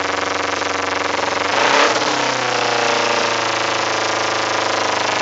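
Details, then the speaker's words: 2008 Kawasaki Ninja 250R with K&N air filter and new spark plugs, exhaust smelling of fuel: small twin blips, then idle climbs by itself to 2,000–3,000 rpm with throttle untouched and won't drop. The owner suspects it needs a rejet. "has gradually gone up to 2,000 and there it goes it's it's raising up a little more by itself and I am not touching the throttle"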